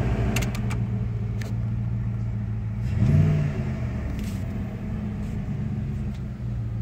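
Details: 1996 Dodge Ram 5.2 V8 after cleaning a very dirty throttle body and fitting a new IAC valve, hot day: low, even burble at a steady idle with no dips or stalling and only a faint blip midway. Normal idle.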